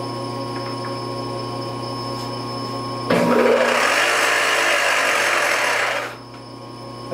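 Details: Supermax YCM-16VS milling machine, a Bridgeport clone with Anilam Crusader M control, spindle in forward: steady motor hum switching to a loud, rough grinding rush for about three seconds, with a burning smell; spindle gearing or timing belt issue suspected, not confirmed.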